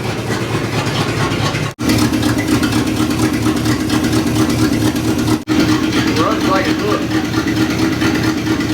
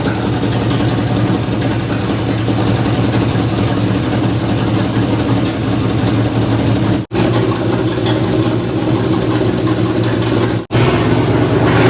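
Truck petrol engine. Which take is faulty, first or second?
first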